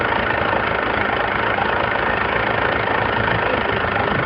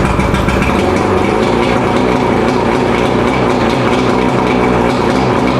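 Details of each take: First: Mercury 115 outboard before rebuild, warmed up at idle with exhaust in a bucket of water: rough idle with a rapid hollow knock about four a second; piston slap from a scored, badly worn bottom piston with huge wall clearance. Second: Mercury 115 two-stroke outboard after rebuild (severely worn piston fixed, combined with second engine) idling steady and smooth with no hammering or rattle; ran about half an hour, healthy.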